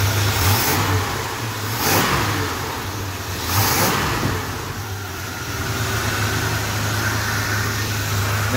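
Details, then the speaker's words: Freshly rebuilt 440 big block V8 in a 1966 Chrysler New Yorker after install, still awaiting tune-up and idle screw adjustment: smooth rumble climbing cleanly on two quick blips, settling back to even idle; healthy revving. "um wow my first rebuild long road shot can you tell she sounds so sweet that is Lush"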